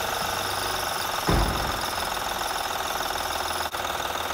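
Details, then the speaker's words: 2007 Honda Odyssey Touring 3.5 idling with accessory belt removed; steady rough knocking chatter remains, likely the timing belt tensioner; alternator also noisy when turned. "si se escucha seguramente es el tensor de la banda el que está provocando este ruido"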